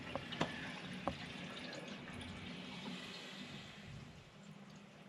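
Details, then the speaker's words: Mains water refilling through pipework after fitting a new combination block to stop a hidden leak losing 324 litres an hour: steady hiss and trickle with a few early drips, no leak rush remaining. "Let's turn the valve back on and make sure that that noise has stopped. So, that's just refilling the system up now."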